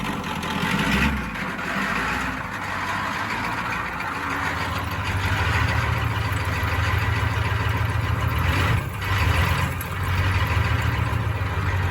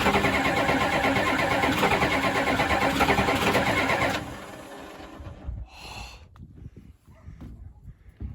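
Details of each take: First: 1992 Ford F-250 7.3 diesel, 5-speed, reportedly rebuilt engine, sitting since 2004, first start in 17 years after glow plug cycling, no ether: deep steady diesel rumble at even idle, no knocks or misses; normal idle. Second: 1992 Ford F-250 7.3 diesel, 4WD, 5-speed, sitting since 2004, supposedly rebuilt engine, on two mismatched batteries, no ether: about four seconds of steady, even cranking, then it stops; engine never fires.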